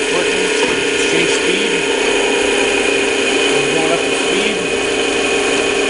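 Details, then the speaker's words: Old-style Clausing 5900 series lathe with a triple belt drive, run to show the drive works: even gear whirr with a light steady ratcheting tick and no knocks or grinding; the back gear operates normally. "the speed changing systems work in the back gear systems work and we'll just show all that functioning"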